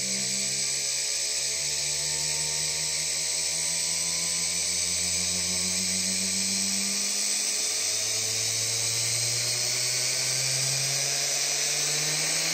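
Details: Big scrapyard brushless DC motor driven through a 30 A drone ESC by a servo controller: high clean electric whine whose pitch slides down, then climbs again as speed is changed; a healthy run.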